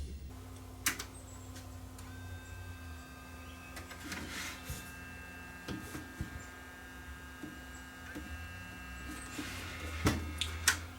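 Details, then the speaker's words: Tascam DA40 DAT recorder showing Mecha Com Err: a small motor hums continuously with faint tones and clicks, never finishing its cycle; loading belt slipping. "sounds like a motor spinning and uh the the mechanism communication error message comes up sounds like a loading belt"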